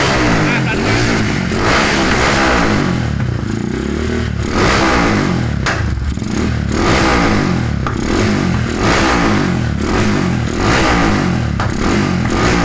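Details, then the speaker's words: Modified Yamaha Scorpio motorcycle that kept stalling, new spark plug fitted after the old one was black: revs unevenly with a light fast tick and stumbling between blips; mechanic suspects cylinder wall leakage and combustion problems. "sehingga terlihat dari mesin hidupnya pun ngeletek tek tek tek tek tek itu teman-teman ya tek tetek"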